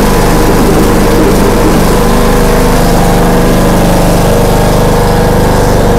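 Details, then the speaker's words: John Deere D105A riding mower after deck belt replacement, mowing under blade load: loud, even engine drone with steady low thrum and no knocks or squeals; normal running, blades need sharpening. "wo we're riding boys it's working let's see no black fire sounds like it's good let's test it come out here going is it mowing oh yeah she's mowing"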